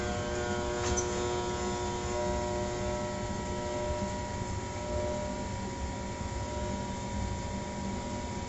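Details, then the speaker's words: Trane XR80 gas furnace under troubleshooting, lower panel open: a steady electrical hum with no rising whoosh of the fan spinning up; the blower motor is trying but failing to start, while the rest of the unit runs until it shuts down. "that noise is almost a dead giveaway it's it's a fan trying to start up I'm not having any luck um everything else is running"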